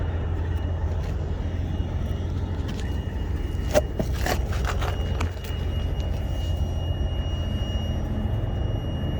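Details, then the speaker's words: Truck with a deep, steady diesel rumble and a thin, constant high-pitched whine over it; same whine occurred last year, followed soon after by oil trouble; cause not pinned down. "I had that same high-pitched whine. Was it last year? Yeah, I think I had my own authority. Couldn't figure out what that was."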